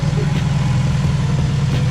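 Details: 2011 Subaru WRX brought back to life after a rebuild, awaiting break-in and tune: steady low idle with a deep, even pulse and no knocks or ticks; engine sounds healthy and settled.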